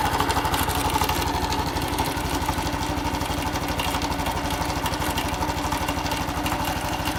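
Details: Honda Cross Cub: small single at a fast uneven idle with a rough, irregular chuffing rhythm underneath; abnormal engine noise, cause unclear.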